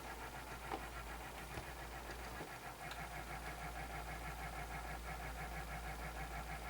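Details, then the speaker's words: Sony BDP-S380 Blu-ray player, after replacing a failed Schottky diode in the power supply, disc loading: rhythmic scraping rub about three times a second, disc keeps spinning without playing; suspected excessive pressure on top of the disc, cause unconfirmed. "It almost sounds like there's too much pressure on on top of it."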